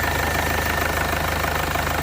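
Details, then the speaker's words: 2015 Mercedes CLA 220d diesel after repairing a puffing leak suspected at the injector seals, smooth, even diesel clatter at a steady idle with no misses, knocks or hunting, and returns not leaking; normal idle after repair. "everything looks pretty good and look at that running really really smooth"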